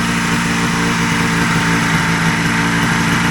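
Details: 1980 Ski-Doo Citation SS two-stroke after points, coils and carb repair, no air box, idle speed being adjusted: loud, steady idle holding one even pitch, no misses, knocks or surging.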